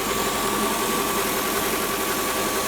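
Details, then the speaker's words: Mercedes E500 V8 idling, microphone near the front of the engine: steady idle with a low, wavering, oscillating rumble from the belt area; worn accessory or idler pulley bearing, to be checked by removing the serpentine belt. "can you hear can you hear that rumbling kind of oscillating sound uh that's typical uh of a bearing noise"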